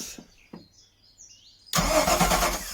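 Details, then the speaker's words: Sunseeker XPS 21 boat with a newly fitted marine starter motor, cranked without attempting to start: the starter bites in cleanly and spins the engine strongly and evenly, with no grinding or hesitation. Normal starter cranking. "i'm not going to attempt to start because um i've got some jb world on that exhaust riser but that sounds way better so pleased with that"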